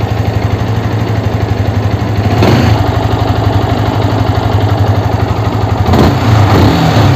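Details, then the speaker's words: Yamaha R15 after replacing worn clutch housing rubber dampers: steady idle, then two clean throttle blips rising and settling smoothly; the thump that was heard before the repair when revving from idle is gone, pickup good. "இப்போ பார்த்தீங்கன்னா நமக்கு அந்த இடிக்கிற sound வரல. ஐட்லிங்கில் rice பண்ணும்போது டம்னு இடிச்சுது, அந்த மாதிரி இப்போ வரல. வண்டி பிக்கப்லாம் நல்லா செம்மையாக இருக்கும்."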